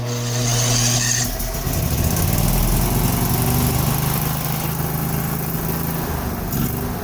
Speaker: because this was already tuned for an 18 horsepower engine it pretty much just fired right up and ran fine